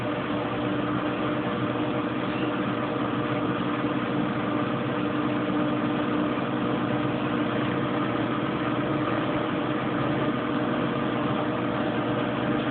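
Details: Kenmore Oasis top-load washer after repair for an OL code that had halted loads for about a week: steady, even spin hum holding its pitch with no knocking, scraping or surging, spinning smoothly at about 25 minutes left before rinse.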